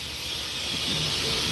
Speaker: I don't know if y'all can hear it surging through the inside of the valve, but we always want to make sure this is open cuz that's nice good hot steam water that's running through the valves on the inside because this is a food grade filter.